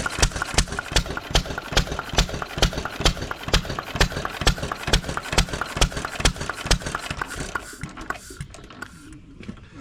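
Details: 1920s Taylor Model B hit-and-miss vacuum engine, long unused, restarted after fuel work, choked to burn old gas; sharp loud exhaust pops about twice a second in steady rhythm, running properly, not very hot but steaming in the heat.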